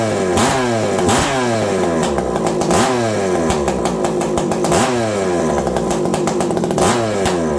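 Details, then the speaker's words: Farmertec 288 kit chainsaw, being checked for an oiler problem: crisp repeated blips rising to a high scream and dropping back cleanly; the saw revs freely and sounds healthy. "I know this this thing sounds good doesn't it"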